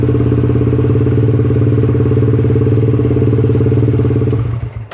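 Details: SYM VF3i motorcycle idling right after a fuel filter change at 25,000 km, left to run to check the fuel pump: smooth, steady idle pulse at about three to four beats a second, then switched off; healthy, no misfire.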